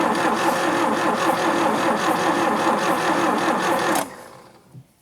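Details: Daihatsu F20 4x4 started for the first time in years, carburetor bowls primed with petrol: starter spins the engine with quick, even chugging for about four seconds but it never catches. Spark confirmed on all four cylinders; plugs suspected fouled.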